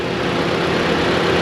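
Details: Mitsubishi Outlander after alternator replacement: steady, even idle hum with no belt squeal or bearing whine at the front of the engine; alternator charging; normal idle.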